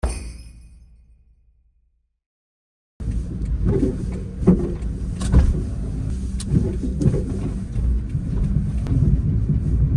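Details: Suzuki Wagon R driving over bumps with repeated low clunks and a loose rattle from the suspension; worn aftermarket coilovers and tired upper mounts suspected, before replacement with new suspension and upper mounts.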